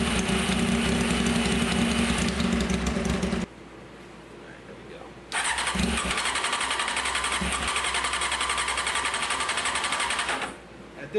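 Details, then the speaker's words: 1995 Honda CBR F3 after sitting, new plugs, fuel poured into cylinders, fuel pump suspect: starter spins about 3.5 beats per second, catches in short spurts and dies; fuel starvation. "All right. We're not getting no gas. See what we got here. Another little spurt."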